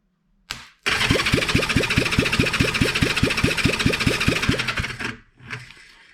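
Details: 1975 Honda CB360, compression test on cylinder one after spraying in WD-40: quick, light cranking beats with little resistance and reading only a few pounds higher; owner suspects leaking valves needing a valve job; low compression, broken piston rings.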